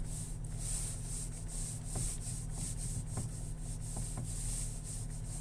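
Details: Nissan X-Trail T32, morning, first occurrence: faint, irregular metallic knocks while turning the steering wheel, over a quiet rubbing background; owner unsure of cause.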